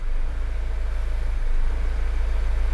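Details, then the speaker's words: Mazda CX-5 that starts, runs, and stalls, fuel gauge reading empty with low-fuel-level codes: low idle whose note swells and sags irregularly as rpm jumps; idle hunting, fuel pressure fluctuating, cause not pinned down. "so every time the engine noise engine notes changes that that humming knows that the hunting"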